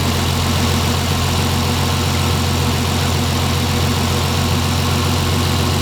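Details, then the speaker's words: Turbo Lexus IS300 with new 1200cc injectors and Hellcat fuel pump, fully warm at about 190–195°F after the fan came on: steady, even idle with a firm hum, no stumbles or misses, no leaks. "I let it warm up completely. Uh at least until I hear the until I heard the fan come on and I don't know, it was about 190 195° and everything so far seems okay."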